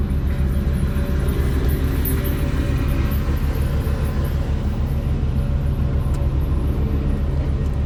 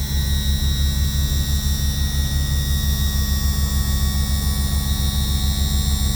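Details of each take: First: Yamaha F300 outboard power trim after seal replacement and refilling with fluid, cold day around 42 degrees: a steady low pump drone with an uneven, lumpy pulse as the trim rises; a little air still bleeding out. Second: Yamaha F300 outboard on a Grady-White 307, cold 42°F day, after trim seal replacement and bleeding: steady, even electric trim pump whir with no gurgling or surging; smooth, properly bled, normal power trim operation.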